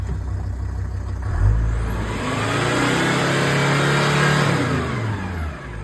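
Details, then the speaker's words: VW Crafter 2.5 diesel first start after valve stem seals, timing belt kit and new water pump: it catches, settles, then revs smoothly and falls back evenly with no knocking or misfire; brief black smoke at first, then clean. "Just started crafter up. That's blown really clean."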